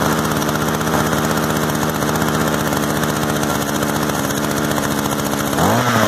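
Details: Used Echo gas trimmer of unknown history, cleaned and fuelled, just started with choke then choke off. Small two-stroke buzzes at a steady fast idle, blipping up near the end while the idle is adjusted: normal running, quick easy fix.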